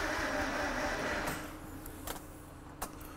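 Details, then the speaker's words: Laboured crank from a vehicle nicknamed Flat White, which sat on a farm for years (possibly under water) and has not run for a while, fading into isolated clicks with no catch on a jumper pack after a levels check: weak cranking from a flat battery. "You know, I need a battery."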